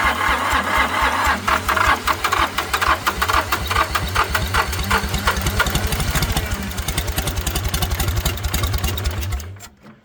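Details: International 285 4x4 diesel tractor (title says 284), long-neglected, cylinders filled with ATF, glow plugs heated: steady cranking thumps with a few ragged firing pulses that never pick up speed; cranks but won't start, possibly still clearing ATF.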